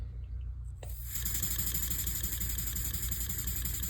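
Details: Model steam engine (Elmer's #33 mill engine) on compressed air at roughly 2–5 psi after new steam-chest gaskets and repacking: smooth, even chuff with no leak hiss or clatter, much quieter than before; a slight leak remains at one fitting. Normal running.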